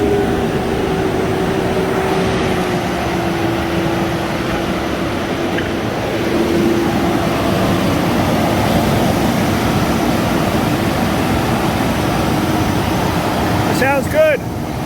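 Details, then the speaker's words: Ford F150 4.6 V8 with replacement engine, truck showing 400,000 miles, after repairing blown-out spark plug and refilling coolant: steady smooth hum at even pitch, no stumbles or misses; idles cleanly, sounds great. "I mean it sounds fantastic the motor sounds great"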